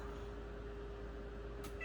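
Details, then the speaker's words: Dryer after a repair-kit fix of its squeal (drum spun smoothly, belt not suspected): low steady rumble with a faint even hum and no squeal or chirp; normal running. "Everything is back together, and just like that, no more squeal."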